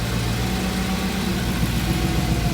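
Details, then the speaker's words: VW Transporter fitted with an RS4 V8 engine and twin turbos, idling after exhaust manifold work: deep, even V8 burble with no ticking or puffing at the manifold joint, no leaks; some old residue burning off, a little smoke. Normal idle. "That sounds like a V8. Does sound better. That there's no leaks. That sounded That sounded good."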